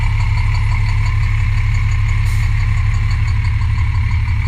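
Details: MCI D4000 motorcoach, Cummins diesel, bus not that old: deep idle with a heavy, fairly regular knock about three per second from the bottom end; bad rod knock.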